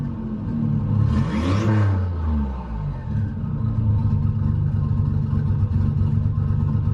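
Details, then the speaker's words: 1988 Nissan 300ZX Z31 project car with QTP exhaust cutout switched open: quick rev blip, then a deep, loud, steady, even rumbling idle; engine running normally. "And if I hold this open, it actually opens the exhaust underneath the car. You'll see how much louder the car gets. If you think it's loud now, just watch this."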